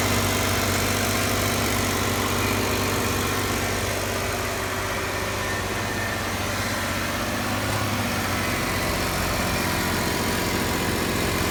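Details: 2015 Jeep Wrangler Unlimited Rubicon with 200 miles, petrol engine held at a steady 2000 rpm: light, fairly regular ticking from the engine bay over the hum.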